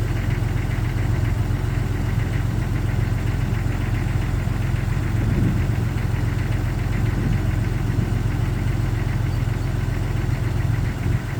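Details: 1999 Jeep Cherokee XJ at cold start, low rumbling idle with a loose, uneven knocking underneath; suspected piston slap, not confirmed.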